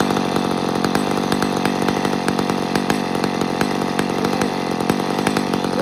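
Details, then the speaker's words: Chainsaw at full throttle with a thin, hard scream and crackly edge, over-revving; lean on the high-speed jet even though it was set richer than before. "Did you hear how that thing screamed just there? Yeah. I actually made it fatter than when it was. So that's interesting to me."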